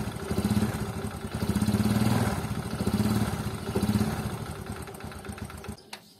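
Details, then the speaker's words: Honda Supra motorcycle idling with oil consumption: coarse, uneven clatter over pulsing exhaust beat, suspected from cam chain and clutch plates; roughness not increasing significantly over time, owner not worried. "apalagi suara mesinnya itu walaupun kasar tidak bertambah secara signifikan dengan berjalannya waktu"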